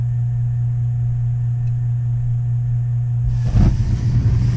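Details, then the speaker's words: Gas boiler after cleaning, cracked smoke pipe section replaced for CO leak and chimney re-cemented, pilot lit: steady low hum then soft whoomp and rushing roar as burner lights cleanly; normal ignition. "Oh, I hear it. I hear the magic. Oh, look at it, baby. I love when the heater fires up."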